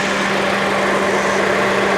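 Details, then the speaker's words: 2004 Saturn Vue 2.2 L Ecotec four-cylinder, manual, parked for years, idling on a roughly 100° day: loud rushing cooling-fan roar over a constant hum, then the fan cycles off. No smoke and coolant is full. Normal idle with the cooling fan running. "I mean, seriously, no kidding, it's running perfect. It's running absolutely perfect. There you go. The cooling fan just kicked off for it to cycle."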